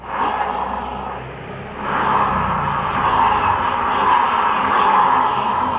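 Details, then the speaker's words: Honda Vario 125 scooter CVT, rear wheel turned by hand with the pulley fitted: rough, gritty grinding hiss traced to the rear pulley clutch bearing, not the final gear; grinding absent with the pulley removed. "Nah, jadi suaranya terdengar jelas bahwa suara yang bunyi grosok tadi bukan berasal dari gigi rasio, melainkan dari puli ini ya teman-teman ya."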